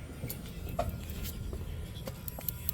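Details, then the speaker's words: RV refrigerator not cooling on gas mode, running gas-only: sharp irregular spark clicks over a quiet hum as the igniter fires at the burner tube, then the burner lights. Gas igniter clicking normally during ignition. "Hear that clicking sound? There it is. There's the burner coming on."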